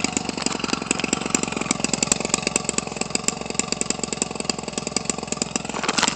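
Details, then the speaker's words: Homelite 25cc two-stroke converted for RC use, nearly new (about 20 ounces of fuel run through it), swinging an 18.6 propeller. Rapid, crisp two-stroke popping at a steady, even idle with no stumbling or surging: a normal idle. "The hand start so easy, it'll idle forever."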